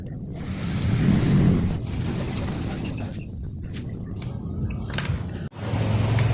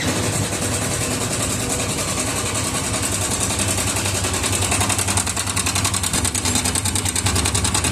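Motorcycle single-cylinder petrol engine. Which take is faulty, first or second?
second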